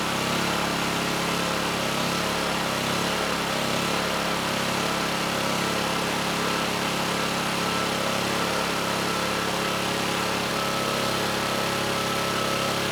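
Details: Vintage Kawasaki GA1400A 1200 W generator found in a shed, ignition and low-oil switches disconnected, only coil wire in circuit: steady, even small-engine drone with no surging, cutting out or misfire; normal running, no airbox fitted.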